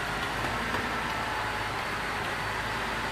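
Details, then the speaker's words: 2006 Cadillac CTS 3.6L VVT V6 after a near-full rebuild (timing chains, guides, gears, valve job), originally with low power and chain noise: a quiet, even whirr at idle with no ticking, rattle or knock; normal idle. "We let it run and get all the bugs out, but we're good to go, man."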